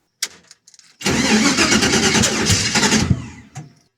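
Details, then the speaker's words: Carbureted 5.3 LS V8 in a Vega wagon, hard to start: after cranking ticks it catches roughly, then backfires through the carburetor and pops out the exhaust on startup; suspected initial timing set too low or a faulty carburetor. "that it backfired through the carburetor and it popped out through the exhaust"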